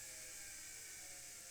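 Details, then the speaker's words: Vintage Singer sewing machine (99K-type) with new motor belt and previously overhauled, lubricated motor, running with needle disengaged: quiet, steady high-pitched hum, no groaning or rubbing as before overhaul; motor runs smoothly and happily. "Sounds very happy. I like that sound. I can even turn it around. How about that, guys? I have a revolving machine with a very quiet motor."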